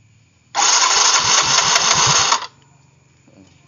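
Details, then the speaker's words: Yamaha Mio fuel-injected scooter that was totally dead (no spark, fuel pump not running), spark plug cap refitted, indicator flashing code 42: engine catches instantly and runs steady buzzy idle about two seconds before switch-off; normal start. "Sekarang tes, kita hidupkan mesin, nyala atau tidak. Ternyata hidup ya guys."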